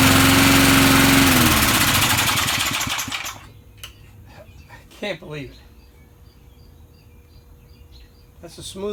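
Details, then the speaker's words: Vintage Sears/Montgomery Ward push mower, likely stored unused since a winter, started right up without starting fluid: fast, even popping runs steadily a few seconds, then engine shuts off and coasts down; normal running. "I think someone probably had it in the garage put it away for the winter and never used it again and like I said all I did yesterday I didn't give it no stock fluid no nothing and it started right up"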